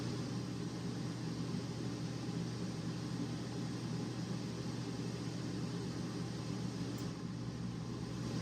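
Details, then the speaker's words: Dometic RV air conditioner in cool mode after a Single Zone LCD digital thermostat and control box upgrade: compressor kicks in, even steady low hum under the fan's airy rush, no rattles or cycling; working properly. "Compressor kicked in. This one is working properly."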